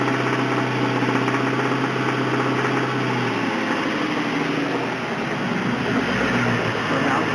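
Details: 1999 Ford Mustang GT 4.6 2-valve V8 at idle, run low on oil: rough idle with dull, uneven bottom-end rod knock.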